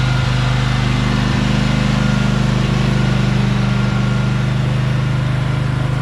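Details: Briggs & Stratton Vanguard 23 hp V-twin on a Husqvarna tractor, sat about a month: even, steady beat with deep constant drone, no knocks or misfires; running normally.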